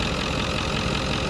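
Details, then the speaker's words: Ford Powerstroke diesel donor truck with suspected blown up-pipe seals and exhaust leak, three-inch downpipe: steady, even idle clatter with no knocks or misses; sounds like a nice tight motor. "so this sounds like a nice tight motor sounds good"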